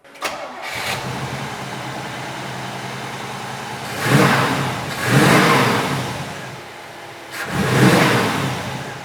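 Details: 1967 Chevrolet Camaro with a 454 big-block V8, Edelbrock intake, Edelbrock AVS 4-barrel with electric choke, stock-style ignition: starter catches quickly into a deep, even idle, and a few throttle blips rise and settle cleanly. Normal, healthy start-up.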